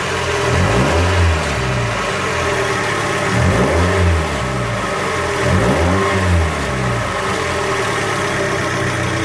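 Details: 2001 Mazda Miata NB engine revved three times: buzzy metallic rattle and grinding rising with each rev from a loose exhaust heat shield against the pipe, later fixed.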